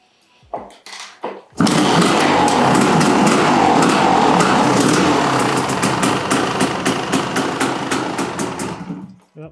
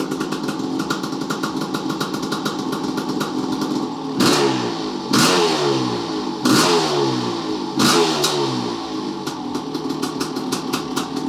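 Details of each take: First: 1988 Kawasaki KX500 two-stroke, first start after engine rebuild, running off carb bowl: catches and rattles unevenly, blubbering and popping as lots of assembly lube clears; flooded at first. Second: 1988 Kawasaki KX500 two-stroke after engine rebuild, running off carb bowl: crisp crackle with sharp clean throttle blips rising and falling freely; runs and sounds good, shut off as bowl ran lean.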